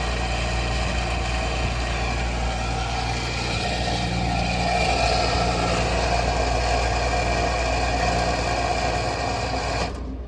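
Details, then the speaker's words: Walk-in freezer compressor running after defrost timer replacement: rough, rattly, gritty hum steady for ten seconds then cutting off; compressor sounds badly worn and is being written up for replacement. "damn that sounded horrible all right so that's getting written up that compressor is horrible"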